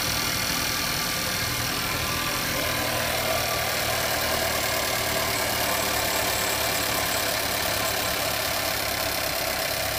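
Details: Skoda Kodiaq petrol engine knock: idling with a faint, uneven tapping under the running noise, roughly two to three per second; origin unknown.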